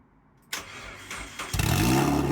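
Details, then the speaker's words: MEV Exocet kit car on Mazda MX5 engine, first start after filling fluids and fixing a fuel pump wire connection: short crank, catches cleanly into a steady even idle; starts and runs, timing correct. "Oh. Yes. That is very good news. So, starts and runs."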